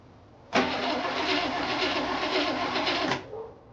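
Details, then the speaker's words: 1968 Chevy Impala V8 first crank after sitting 31 years: about three seconds of steady normal-speed cranking, no firing, then stops; cranks but no start, fuel tank empty, carburetor sat about 30 years, spark untested. "Internet, we've got crank. We don't have fuel because the fuel tank is empty and the carburetor's been sitting for roughly 30 years."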